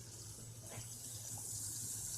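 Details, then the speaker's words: BMW M57 diesel just installed, first key-on before starting, heater at maximum to bleed system: electric coolant pump hums steadily while coolant hisses and gurgles through lines purging air; pump running normally. "Так. Ну да, это гудит именно насос. Именно насос системы охлаждения."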